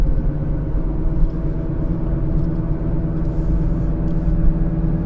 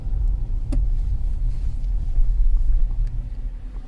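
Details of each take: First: 2015 Kia Sorento 2.4 on test drive: steady low growl and droning hum under road noise, changing when steering is jerked; front left wheel bearing, no play felt at the wheel, slight roughness. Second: 2015 Kia Sorento 2.4L on a road test after a new front wheel bearing, also checking the oil control valve for P0011: steady low road rumble with no hum or growl rising with speed; no wheel bearing noise.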